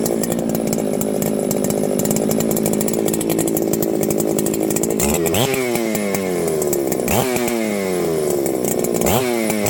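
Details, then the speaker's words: Ported Husqvarna 394XP chainsaw after troubleshooting fading runability and no-run, where the owner suspected a failing ignition coil, started on choke: a crisp two-stroke snarl that climbs cleanly on throttle blips and drops back evenly. Normal running. "well friends I'd say it's fixed"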